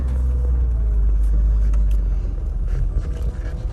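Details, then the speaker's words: Rover SD1 2600S after new exhaust and new exhaust rubbers, reversing and creeping along; low even exhaust rumble with no thumps or knocks from the rear, previous knocking gone. Normal exhaust, no knock. "you can hear it no knocking sounds at all absolutely perfect"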